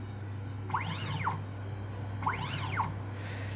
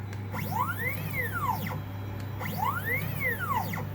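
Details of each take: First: 3D-printer stepper motor driving a sewing machine, one computer-controlled stitch click: two smooth whirring sweeps rising then falling in pitch. Normal acceleration and deceleration; the step count per stitch is not yet tuned. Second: 3D-printer stepper motor on a sewing machine with G-code acceleration turned down from 50 to 10: a rising-and-falling whistle every two seconds, then harsh buzzy chatter. The stepper stalls at low acceleration but keeps receiving signals.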